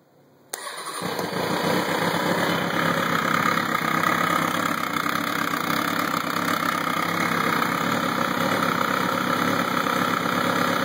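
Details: 2003 Kawasaki Ninja 636 after a valve adjustment fires up into a fast idle with a busy, uneven mechanical chatter from the top end; an abnormal engine noise whose cause is suspected but not confirmed.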